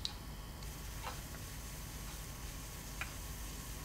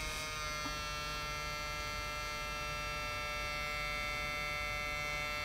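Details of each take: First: Toshiba Satellite Pro CDT440 laptop 3.5-inch floppy drive, being repaired with a rubber band, diskette inserted: soft steady spinning hum with light head-stepping ticks, disc rotating; normal floppy drive operation. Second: Toshiba Satellite Pro CDT440 laptop floppy drive with disk inserted: steady thin whirring hum with no seek clicks; something is wrong with the drive.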